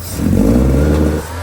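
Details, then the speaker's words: 1984 Porsche 944 that idles perfectly but won't rev past about 2,500–3,000 rpm despite a leak-free smoke test, new fuel lines and a sealed tank: throttle blip stumbles and breaks up, then drops back to idle. The cause has not been found. "Start it up. Runs and idles perfect. Give it gas. Starts breaking up. Ease the gas real gently."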